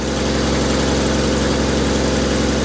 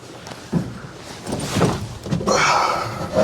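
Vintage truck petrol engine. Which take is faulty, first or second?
second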